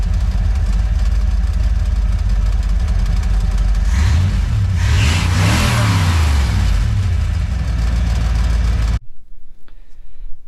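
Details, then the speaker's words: Boat on first water test, engine running and revving: loud metallic rattle quickening with revs and easing back, louder in person; owner suspects a loose valve that wiggles near the exhaust; rattle. "You're gonna hear a pretty nasty rattle. I'm assuming on the camera here. It says valve. It wiggles a little bit from the exhaust."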